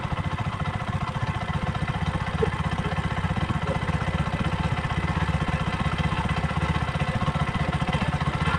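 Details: Bajaj facelift second edition single after carbon deposit cleaning, previously hard starting and misfiring: steady, even putter around four beats a second with no misses; normal idle.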